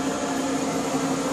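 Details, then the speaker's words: Maytag Dependable Care Quiet Pack gas dryer after cleaning and reassembly, test run not yet hooked up at the back: steady mid-pitched hum with constant tone and even airflow rush, no thumps or scraping; runs normally. "Okay, this is a Maytag Dependable Care Quiet Pack, and it's time for a test run."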